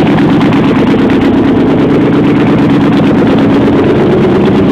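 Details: Jeep Wagoneer cold start with exhaust open at the headers: very loud, raspy, unmuffled idle with sharp, even exhaust pulses.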